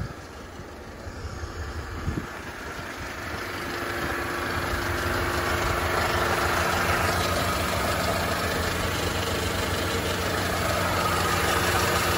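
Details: 2004 Mercedes-Benz W211 E200 Kompressor, 180,000 km, temp normal 80-90°C, no coolant loss or white smoke, drives fine: supercharged idle with steady hum and faint regular ticking; unknown engine noise, cause unclear.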